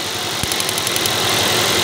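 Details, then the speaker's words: Toyota Vios (Batman) misfiring at idle: uneven stumbling beat with irregular ticks; coil from cylinder two swapped to cylinder four still fails to spark there, so wiring is okay and that ignition coil is busted, causing the misfire. "Ayaw talaga itong coil na andito nagana siya ibig sabihin Okay ang wiring possible to coil ang problema"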